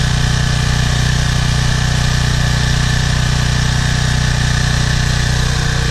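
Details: Briggs & Stratton 190cc 8.75 engine on a PowerFlow Plus 3000 psi pressure washer, run after cleaning its carburetor of a clogged bowl screw jet, oil and dried gas. Steady, even single-cylinder beat with a constant low drone and no misses or surging; healthy.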